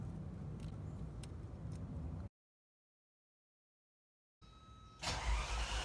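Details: 1987 Ferrari Mondial 3.2, cold engine: long uneven cranking without catching, a pause, then it finally fires; hard cold start because the cold start injector gets no power, its wire having been removed from the starter switch connector.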